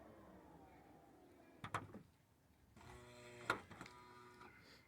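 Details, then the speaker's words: Toyota Highlander power liftgate after cleaning and silicon spray on the joints: motor hums smoothly and latches with solid clunks, squeaking gone on both opening and closing. "Alright, the noise is gone when I close it. Let's open it. Alright, no more noises."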